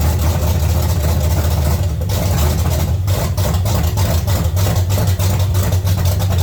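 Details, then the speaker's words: 1970 Chevy C10 small-block just revived from a locked-up engine, running after new intake manifold and carburetor, possibly flooded, very smoky: low uneven idle that stumbles and lopes; owner wants more idle and less timing, misfire cause not confirmed. "needs a little more idle hopefully bring a little less timing a little more idle I think it'll sit there and run it's very smoky here now"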